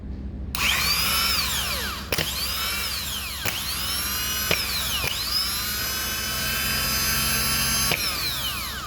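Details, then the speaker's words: Mercedes SL65, 2005, 97k km, starter tested during maintenance after solenoid work. Several short bursts of clean, high whirring spin up and wind down smoothly, with no grinding or dragging. Normal, healthy starter motor spin. "Sounds good. Not bad. Not bad."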